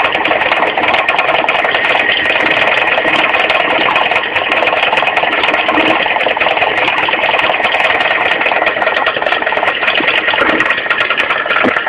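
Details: Mitsubishi 4G15 carburetted engine at idle: busy, slightly irregular light knock and rattle, two or three a second, from low at the front crankshaft pulley; loose pulley, fixed by tightening it, not replaced.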